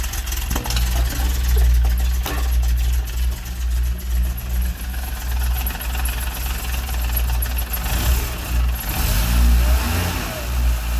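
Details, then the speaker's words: X1 after base ignition timing advanced: engine fires, rises and falls through a few blips with a strong even low rumble and good compression; runs well, insufficient base timing was the issue. "There we go. Ooh, that sounds nice. He's running."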